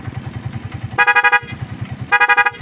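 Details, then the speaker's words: Honda TMX Alpha 125 after a full wiring rework, horn switched up to the loud horn: two loud, clear honks of about a third of a second over a ticking idle, lights not flickering; horn healthy. "Eh, paano naman kapag ka naka loud horn naman siya? So, pataas naman, pataas naman. So, pakinggan"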